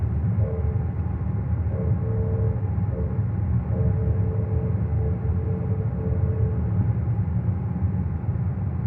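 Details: 2022 Cadillac XT6 driving: mid-pitched grinding hum coming and going in short stretches over steady road rumble, grinding noise around 25 seconds in.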